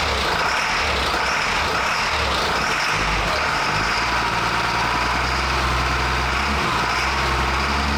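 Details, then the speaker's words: CAT diesel-swapped Ford F350 idling with a low rumble that rises and sags unevenly. Surging as it starves for fuel because the FASS lift pump was left unplugged at startup. "So it's funny because it started right up, so it's got fuel pressure in it still, and then that's when that surging started, was when that fuel caught up where it was kind of starving,"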